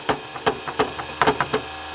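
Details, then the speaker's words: Lennox CD radio saying OPEN: tray drive makes repeated light clicks and clunks about every third of a second but never opens; motor works, owner suspects a worn belt, not confirmed. "So the motor's working. I would suspect it's just a belt."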